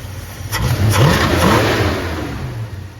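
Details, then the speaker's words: 1964 Dodge Dart GT convertible V8, carburetor cleaned and regasketed with new accelerator pump, idles reset and timed, but it never idled happily and a vacuum leak at the intake gasket is suspected. Revs cleanly off idle with no misses or knocks, then settles. "sounds great everywhere off idle. You kind of hear it settle down there."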